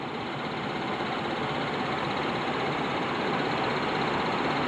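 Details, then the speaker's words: Car heard while driving home: constant buzzing "brrr" rattle from the engine, still present with radio off; engine bay rattle, father suspects the AC is having problems. "Okay, my engine is making like this really weird rattling noise. I don't know if it's picking it up on the camera."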